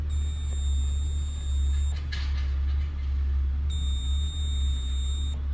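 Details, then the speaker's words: Craftsman LT1500 riding mower (maybe 17 hp Briggs) continuity test with brake held and starter switch pressed: two clear steady tester beeps over a low rumble. The brake, blade-engagement and ignition switches and wiring are good; the starter spun backwards and a new starter and solenoid are due. "that should be a continuous circuit so this thing should beep whenever I hit the starter switch"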